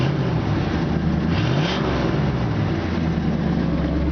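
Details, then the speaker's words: 1964 Ford Galaxie 500 with 45,250 original miles, idling in park with its factory exhaust: steady, deep V8 burble, even and smooth with no ticks or knocks; normal exhaust note. "so as soon as you put it in park you can actually slide the steering wheel out of the way you can hear it just has a factory exhaust"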